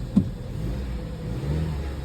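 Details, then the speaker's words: Used car inspected at a dealer auction, likely the same engine as a previous car that knocked: steady low engine note, smooth and even under light revs, with no tapping or knock; sounds healthy. "like this one a lot better sounds good"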